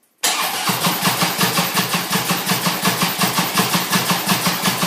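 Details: Harley-Davidson motorcycle cranking steadily at about three compression pulses a second, never firing; strong raw gas smell coming from it, cranks but won't start, cause not identified.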